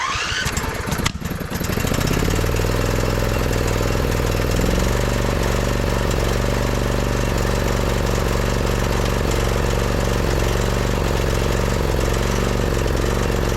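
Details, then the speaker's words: Husqvarna YTH2242, believed to be a 2008, Briggs V-twin with a new spark plug fitted, ruling out a bad plug; the owner also suspects the coil. It catches after two seconds and runs lumpy with repeated stumbles. One cylinder is dead from a bent/broken push rod. "Okay, so that rules out a bad plug."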